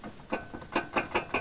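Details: Ford Explorer 4 brake caliper shaken by hand: sharp metallic clacks about five a second; caliper loose on worn guide pins, rattling over bumps but quiet with the brake applied. Fix: shim with a stainless or galvanized strip.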